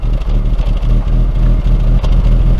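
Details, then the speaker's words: 2003 BMW E39 5 Series, sat three years, after valve cover gasket and crankcase ventilation valve replacement fixed a misfire and fuel trims: smooth, even low idle with steady firing, no misses, stumbles or hiss; normal idle. "car sounds now bearing like a kitten"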